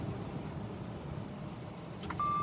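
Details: Truck cab with steady road rumble, then a clean continuous high-pitched buzz with the turn signal on: the side-alert sensor warning of a vehicle beside the truck while merging on a Nashville highway.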